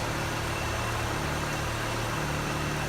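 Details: Honda with 90k original miles, after an oil and filter change and valve cover gasket, with the fuel pump primed: even, steady mid-pitched idle with no knocks or misses; smoke is thought to be debris burning off the header.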